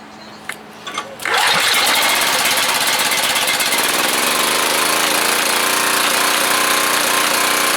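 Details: Curbside freebie small single-cylinder generator, near-new inside, choke on: fires after a couple of pulls, catches and settles into even steady run with no misses or knocks; normal running.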